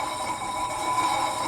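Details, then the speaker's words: 2004 Ford Explorer Sport Trac, jacked up, front wheel spun by hand after replacing the seized-bearing spindle and rotor with a junkyard assembly; smooth, even whir with faint brake-pad drag hiss, no grinding; bearing spins freely and healthy. "I'd say it's rolling pretty good. Rolling a lot better than it did before."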